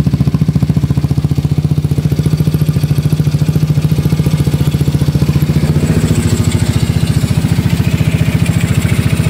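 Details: Yamaha Mio Soulty scooter with 59mm block, previously hard-starting with carburetor overflow: even single-cylinder putter about three and a half beats a second, steady, no misses; idling normally.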